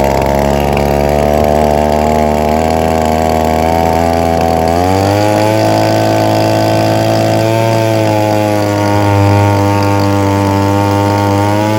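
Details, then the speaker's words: Echo PB-2520 handheld two-stroke leaf blower with a carburetor fitted last year, won't rev up or hold speed; limiter caps removed, high-speed screw adjusted slowly, buzz steps in pitch but never climbs cleanly; poor high-speed running. "customer says this unit won't rev up won't maintain and he had a carburetor put on it last year"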